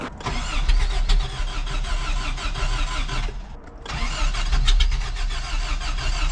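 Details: Toyota 4Runner 1st gen, 22RE engine, 5-speed: starter cranks steadily, pauses, cranks again but never catches; seems to backfire through exhaust, distributor adjusted, timing suspected one tooth off. Crank-no-start, cause unconfirmed.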